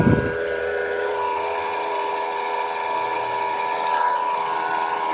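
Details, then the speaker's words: 2008 Mazda 6 i, 2.3L four-cylinder, idling with the passenger wheel off: a steady stacked-tone whine, first suspected as the power steering pump, turns out to be the alternator. Alternator bearing noise. "course it is making some noise but it should is power steering pump but be going the alternator oh yeah that's the problem right there good alternator"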